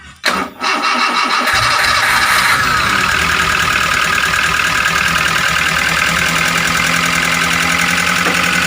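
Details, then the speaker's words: Grand Max engine with coarse running noise, valve cover previously opened: busy uneven idle with clattery ticking over it; rough running, valves, piston or bearing being checked. "suara saat mesin hidup itu kasar seperti ini makanya kita akan membongkar untuk melihat apakah dari piston dari metal atau dari klep yang bunyi"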